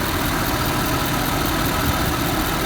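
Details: Ford Super Duty turbo diesel truck, recorded under the hood: steady, even diesel clatter at idle with no knocks or misses; smooth, healthy tick-over.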